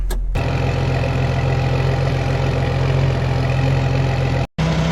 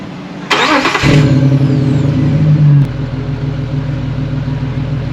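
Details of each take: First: 2006 Jeep Wrangler TJ 4.0L, before a Flowmaster cat-back install; the rusted exhaust is separating and has a hole at the bottom: steady idle with an uneven puffing rasp, louder on acceleration. Exhaust leak. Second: 2006 Jeep Wrangler TJ 4.0L just after a Flowmaster cat-back exhaust install: it cranks, catches with a brief rev and settles into an even, mellow idle with a slight, quiet exhaust rumble. Normal idle.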